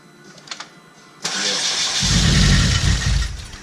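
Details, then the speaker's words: Chevrolet HHR SS turbo build, first start after sitting months: starter spins engine steadily for a couple of seconds but it never catches; no fuel in the system, key not cycled to prime. "That's what it is. There's no fuel."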